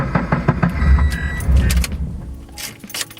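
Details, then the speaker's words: FRS (86) cold start just after fitting solid transmission mounts: deep lumpy engine rumble with loose rattling and buzzing, insane cabin vibration and very rough startup; probably no exhaust leak, nothing believed loose. "it's just the vibration is insane jeez yeah you can i don't know if you guys can hear that i don't think anything's loose just the startup is also really really rough"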